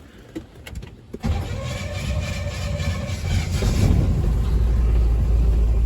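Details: Carbureted engine just after cleaning the 2-barrel carburetor, carb cleaner sprayed in, gas pedal pumped: a second of cranking, then it catches cleanly and pulls up to a strong, steady run; normal start and run.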